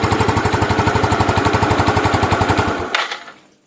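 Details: Yamaha Mio used to test the stock CDI from a Yamaha Jupiter Z that had lost ignition. Rapid, regular single-cylinder thumps at steady idle, no missed beats, then switched off; the CDI is not the problem (fault later found in the pulser).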